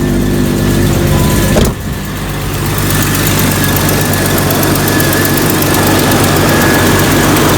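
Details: Jeep Cherokee XJ 4.0L that would not start, started after a jump; battery nearly a year old, reading 12.3 V. Catches quickly into a smooth, even idle with no knocks or squeals. Alternator reads about 14.2 V, so it is good and the battery is the problem. Normal idle.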